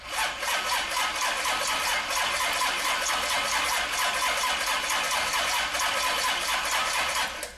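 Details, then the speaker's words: Freshly built Chevy big-block 454 V8 on an engine run-in stand, first start: catches and holds a steady, even, fast-firing rumble with no knocks or misses, then shuts off cleanly; reached about 190, good oil pressure, idle and revs as wanted. "so got it and stuff like that but anyways yeah motor started up runs good got up here and hung around 190 uh uh oil pressure seemed to be really good idling and revved up seem to be kind of where I'd like it"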